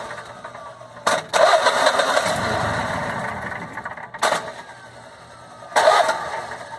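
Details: Generac Guardian Quiet 05244 standby generator, unused about a year, new battery, fresh 5W-30 oil and filter: three cranking bursts catch briefly and die, never running; oil slightly low possibly tripping low-oil-pressure switch, ran after new spark plug; faulty spark plug.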